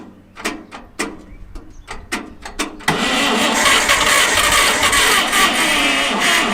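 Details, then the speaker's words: Abandoned Farmall 460 tractor with updraft carburetor, possibly flooded or with a float issue: sluggish, uneven, weakening cranking at about four strokes a second that never catches, because the battery is dead. "now that's a dead battery damn it it's trying to chew on that stick"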